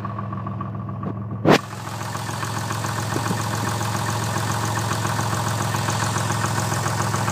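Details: Twin-turbo Toyota Supra at idle: a steady engine note with a light, regular tapping riding over it; piston slap is suspected but the source is not confirmed.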